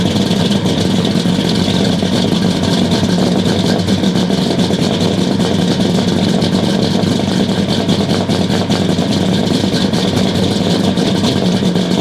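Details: 1969 Buick Special Deluxe 430 big-block V8, big cam, first start after over a year parked: uneven loping, stumbling idle, steady throb with no clean rhythm, running overly rich with the choke left fully closed by hand.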